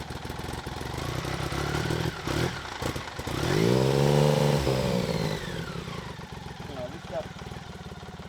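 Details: BMW K75 RT after new fuel injectors and spark plugs: smooth steady idle, then a throttle blip rises and falls without pulling hard, no pickup at full throttle; clogged air filter.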